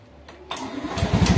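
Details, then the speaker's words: Motorcycle fitted with a homemade relay anti-theft alarm, started with the electric starter after the cut-off switch is turned off: brief starter whirr, engine catches at once and settles to a steady, even idle; starts normally. "Nah, kalau ini dimatikan bagian saklarnya, baru motor normal kembali. Dan kalau kita starter seperti ini."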